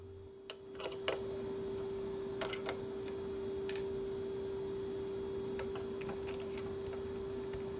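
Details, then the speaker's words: 1940s 14-1/2" South Bend lathe, drilling a tool holder: a steady, mid-pitched squeal runs throughout as the tool rubs on hardened material around the diameter without cutting. "I don't know if you could hear that squeal, but that's hitting some hard material."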